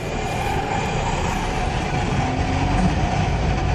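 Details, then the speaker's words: 1999 Plymouth Neon automatic, also bad motor mount and rear strut noise, in first gear: steady mid-pitched whine over engine and road rumble, transmission whine; reportedly quieter once warmed up, transmission expected to fail. "It actually gets quieter after it gets warmed up. So Lord knows how far it'll go before the tranny goes."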